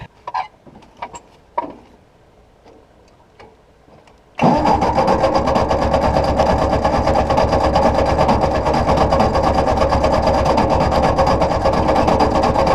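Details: Ford NAA Golden Jubilee tractor (1953/1954) sat over 20 years, spark confirmed, fed from a boat tank: steady starter churn about two turns a second for over eight seconds, no cylinder catching; oil pressure present, starter getting warm.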